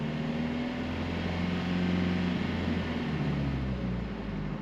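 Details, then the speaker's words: 2008 Toyota Prius with a freshly rebuilt engine, revved up and down for 20 minutes of break-in before an oil change: a smooth hum rising and falling with no knocks or rattles; rpm stays limited and slow to change. "So I can rev it up. It's not a lot, but it is some revving. So we want to rev it up and down for about 20 minutes."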